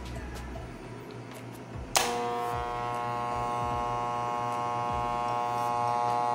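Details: Hair clipper after repair of the cord ground connection that made it cut out when the cable moved: it switches on into a steady, even buzz holding pitch without rattle or labouring; the motor and blade sound healthy.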